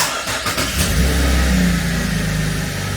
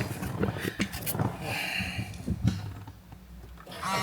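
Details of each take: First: 2017 Holden Commodore SV6 LFX V6 after an oil and filter change and six new iridium spark plugs: it ran a little rough at first, but restarts with a quick crank, a clean catch and a brief rev into a smooth idle; normal. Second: 2017 Holden Commodore SV6 with LFX V6 on its first start after an oil and filter change and six new aftermarket iridium spark plugs: cranks and catches with a slightly lumpy, rough idle that then settles smooth; cause unexplained.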